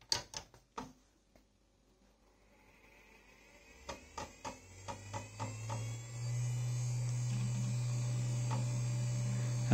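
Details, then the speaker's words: Yamaha A5000 sampler at power-up: clicks and seek chatter, then a steady low hum and whir from the noisy original internal IDE hard drive and fan, which is to be replaced with a compact flash card. "replace the internal drive because it is incredibly loud and i used to have a yamaha a4 000 so remember how loud those things were"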